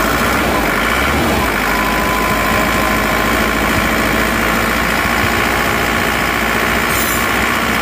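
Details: Panther diesel engine rebuilt after overheating and seizing from a failed pulley, first start with hard cranking: steady clatter with faintly uneven, lumpy beat; idle not smooth, cause suspected, not confirmed.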